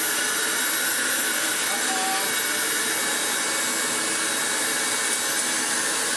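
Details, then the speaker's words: Hoover Turbomaster Exclusive U5120 upright vacuum, first test after restoration and belt changes: steady high motor whir without brush beating; brush roll not spinning. Owner suspects the belt was set all the way over on the idler pulley. "Oh, dang it. We have no brush roll."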